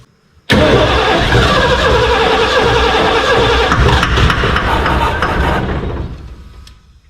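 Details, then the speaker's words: 1989 Ford F250 with a new gas tank, fresh gas, first start attempt: fires straight up and runs with an uneven, stumbling beat and wavering note for about five seconds, then dies; rough running. "That doesn't sound good. It's sounding a little rough."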